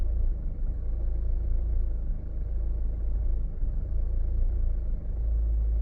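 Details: 2012 Hyundai Santa Fe automatic: deep rumbling idle with a shaky, uneven pulse and occasional dips in level, a rough idle.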